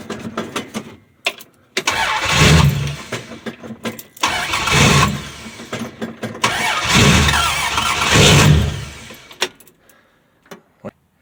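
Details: 1965 Dodge Dart, 225 cid Slant Six, cold start, fresh gas after sitting, choke turned down; three long cranking bursts with brief catches, never idles; hard starting traced to the carbon centre electrode.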